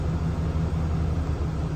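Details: 2020 Ram 2500 Cummins diesel idling just after an oil and fuel filter change with aftermarket filters. A steady, even low rumble with a smooth, regular beat and no knocks or misses; a healthy idle.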